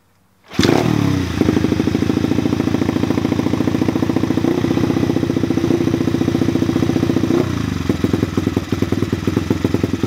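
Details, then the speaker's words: New Chinese pit/dirt bike after turning the carburetor screw a full turn: the small engine fires up and settles into a steady, even idle without bogging. "so now you guys can hear it's actually at a good idle it's a very quick and easy fix"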